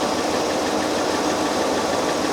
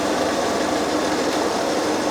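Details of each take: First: Citroën XM 3.0 24V on a Sun engine analyzer cylinder balance test, cylinder six deliberately shorted: uneven idle with a stumble, RPM dropping and hydrocarbons rising; one cylinder dead on purpose. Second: Citroen XM 3.0 24V idling on a Sun engine analyzer before a cylinder balance test: steady, even hum with no knocks, stumbles or hunting; idle settled.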